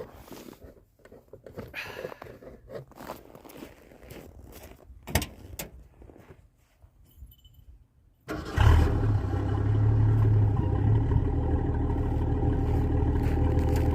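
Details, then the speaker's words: Foxbody Ford Mustang rescued from scrap, with a Motorcraft 2100 carburetor, stock cam, no emissions equipment, dual exhaust with chambered mufflers and a big radiator, fired up; it catches in one go and settles into a steady low burble. Clean start, healthy idle. "But now, well, let's listen to this thing fire up. Because it has a sweet, sweet exhaust tone."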